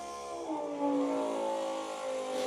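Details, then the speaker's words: Motor hum with a wavering tone that rises and shifts as the 12V pump on a new 58-gallon diesel transfer tank draws air through the unprimed fuel filter before it fills with diesel; air in fuel filter. "So, that sound you hear is actually the filter, that fuel filter filling up with fuel. So, the diesel didn't have a chance to get in there, work itself through."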